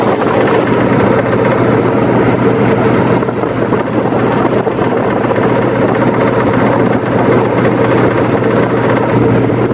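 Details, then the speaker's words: 1999-2004 Mustang GT at steady idle with the clutch pedal out: a rough, rapid ticking or clacking like a rod knock from a worn throwout bearing. It goes away when the clutch is pushed in, and the clutch still doesn't slip. "eventually you'll start to hear like a ticking on your car it may sound a little bit like a knock like a little bit like a rod knock or some kind of tap under there but how i find out um is when you push in the clutch and it goes away"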